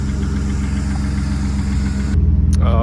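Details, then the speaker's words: BMW E36 drift car at idle: steady idle with a quick, even tick at about four per second, suspected lifter tick, lifters to be changed next to quiet it. "you guys can hear that got a bit of a lifter tick going on here see if you can get a good listen to this now this is going to be what we are working on next is um changing out changing out some of the lifters on this thing to see if they can quiet it"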